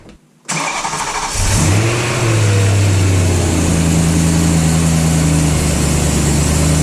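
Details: BMW E92 M3 after replacing squealing front pulleys and accessory belt: cranks, catches, revs once and settles to an even idle with no squeal or chirp; belts and pulleys quiet.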